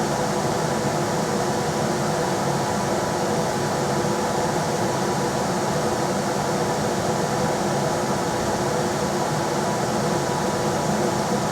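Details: Rheem RBH residential air handler after its squeaking, non-serviceable blower motor was replaced with a 1030 rpm motor (old one 825 rpm): on high there is a steady, even rush of air with a smooth hum and no rubbing, rattling or bearing noise. Normal blower operation.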